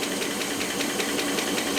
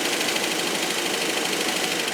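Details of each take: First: Rolls-Royce Silver Cloud III, running after a fail-to-proceed repair with a new coil; light, sharp ticking about five or six times a second over a steady idle, following engine speed; suspected lifter, noisier cold, unconfirmed. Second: Rolls-Royce Silver Cloud III after fail-to-proceed repair with new coil: engine settles into steady, even run with light regular tick, usually hydraulic lifter tap, firing on all cylinders.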